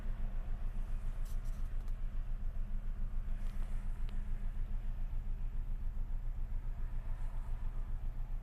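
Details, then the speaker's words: Unexplained knock at idle with the mirror shaking and vibration in the steering wheel: a deep, regular thump about three or four per second pounding over the idle; a strong knock of unknown origin. "Не знаю, слышно, нет этот стук. Долбит прям ощутимо."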